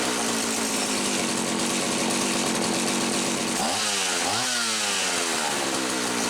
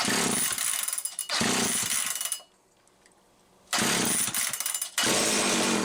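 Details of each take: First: Homelite 360 chainsaw, after repair on the bench: a misaligned carburetor (intake) bushing had caused inconsistent running by letting air interrupt fuel flow. Mixture about 1¼ turns. Steady high two-stroke buzz with two quick throttle blips rising and falling cleanly; normal running. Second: Homelite 360 chainsaw on the bench, wouldn't run consistently, misaligned carburetor bushing, fuel spurting out the top: screams in short bursts, cuts out and picks up again; fuel starvation causing surging and stalling.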